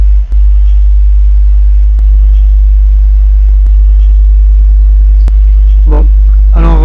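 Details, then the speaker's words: Alpine MRP-M1000 car audio amplifier after repair, on the bench with no signal playing: steady low mains-type hum from switch-on; suspected RCA fault or the isolated-ground bench power supply. "Donc j'appuie, je l'allume. Voilà, vous entendez le bord le le bourdonnement."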